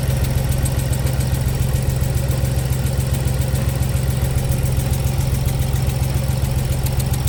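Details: Ford Explorer naturally aspirated V6 petrol (not EcoBoost) idling roughly with dull uneven knock about twice a second; misfire codes on cylinders 1 and 2, spark present, injector swap didn't move code, compression test pending, worst feared.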